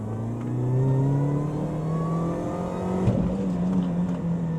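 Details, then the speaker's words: 2005 Mini Cooper R53 John Cooper Works, 37,000 miles, floored from about 15 mph in second gear: engine pulls cleanly, note climbing with rising supercharger whine; normal strong acceleration. "It's one of those cars that you can enjoy just poodling around, or when you feel like it, you can bury your right foot into the carpet and hear that supercharger whine and have that big grin on your face."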